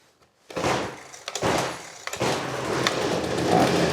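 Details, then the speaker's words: Trash-picked Ryobi 25cc two-stroke string trimmer after fuel line repair catches on second pull, blips, then settles into a steady buzzing run; runs healthy. "that ain't too bad I think that'll do just fine"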